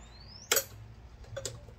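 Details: Cimbali Junior M20/M21 espresso machine dry power test, heater disconnected, 110 VAC, switched on: one crisp click then a softer tick as the water fill valve solenoid energizes and opens normally.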